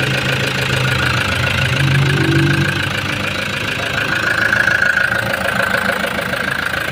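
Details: Toyota HiAce van diesel idling steadily with light even clatter after its pressure pump was refitted; it had arrived not starting after another shop replaced the suction valve, and now runs smoothly.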